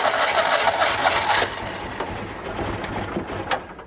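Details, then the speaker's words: Citroën 2CV flat-twin, unused since 2017, first start attempt: the starter churns briefly and the engine catches almost at once, then settles into a lighter, uneven running note; a healthy start. "yep I tried to fire straight away again I was not expecting that"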